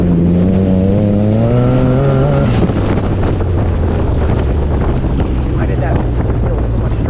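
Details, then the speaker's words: Buggy with a tuned 210 hp 3A92 engine, K03 turbo and retuned VVT on a trail: full-throttle pull under boost between 5,000 and 6,000 rpm that feels strong and climbs smoothly, with no crackling, then wind noise. "that felt really strong right there and that was that was between five and six thousand rpm and i didn't hear any crackling"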